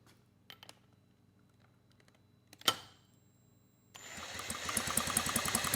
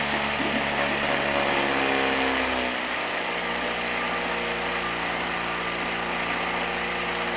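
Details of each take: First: 1967 Mercury Merc 60 6 hp two-stroke twin outboard, pulled from trash, points set near 0.019; sharp snapping ticks about three a second while pulled over, strong spark on the top cylinder tested with plug tester. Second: 1967 Merc 60 6 hp two-stroke twin outboard, likely decades unused, pulled from trash: wavering, uneven note that shifts and sags before stalling; air leak causing rough running, later plugged.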